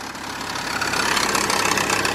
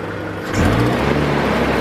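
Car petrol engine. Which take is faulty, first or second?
first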